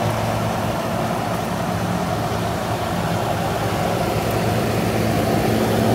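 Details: GE AHC12LYW1/ACH14AZW1 12,000 BTU window air conditioner running on high after a DIY bypass of the faulty control board (88 code, beeping, shutting off): steady even fan rush and low hum, no knocks or rattles; normal.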